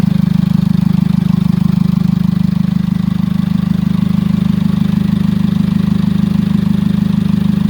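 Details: Jeep Liberty CRD diesel, first start after top-end rebuild with glow plugs reinstalled: steady diesel clatter at idle, even regular firing, no misses or knocks; healthy, no check engine light, a little smoky.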